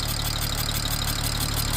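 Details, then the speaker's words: 2007 BMW 335xi just revived from non-running, coil packs replaced with used OEM units: rough idle with an uneven puffing beat and chuffing hiss, engine visibly rocking. Misfire at idle; possible exhaust leak, injectors seem fine, cause unconfirmed. "Almost kind of sounds like an exhaust leak, maybe? Definitely a misfire, though. I can see the engine kind of rocking back and forth a little bit."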